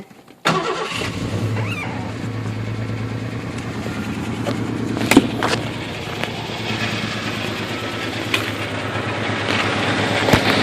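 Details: Ford Ranger 2.9 startup: cranks then catches abruptly, settling into a low hum with irregular stumbles and pops; rough idle, power loss, heavy smoke smelling of antifreeze, temperature gauge reading higher than usual; cause unknown.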